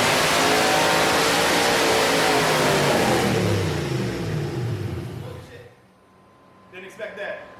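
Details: Freshly built Corvette V8 on first start with a reprogrammed stock ECU/PCM: wrong intake manifold (square port instead of cathedral port) caused a severe vacuum leak, so it screams up toward redline on its own, then falls away.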